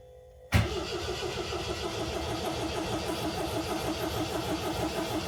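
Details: 1979 MGB cold start on choke in neutral after the fuel pump primes and a couple of pedal pumps: brief crank, catches at once, RPMs rise then level into a steady, even fast idle as it begins warming up; normal cold start.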